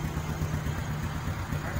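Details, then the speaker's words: Honda 67 SS50, kick-started because the weak battery won't crank it; seller says the engine is very quiet. Quiet, low, steady putter at idle with even beats and no tapping or rattle: normal idle. "Đạp cho các bạn nghe tiếng máy. Máy im quá"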